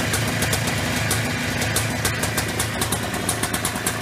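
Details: Early-1990s Polaris Trail Boss 250 two-stroke after replacing leaking crankcase seals: steady ring-ding idle, revs settling evenly without stalling or hunting; normal idle.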